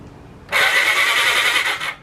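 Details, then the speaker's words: 1980 Honda CB750F Super Sport, an ex-drag bike being revived: the starter button fails and the solenoid is suspected, so it is bypassed by jumping from the battery. The starter whirs steadily for about 1.5 s with no firing. "Sounds like the solenoid's having trouble. I'm just going to cross the solenoid right over with the battery on the other side to see if it'll turn the starter. There we go."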